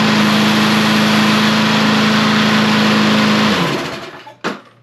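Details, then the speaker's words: Small engine started after work on a dirty carburetor: it holds a smooth, even drone, then is switched off and winds down cleanly. It runs like a champ. "like she's going to run like a champ"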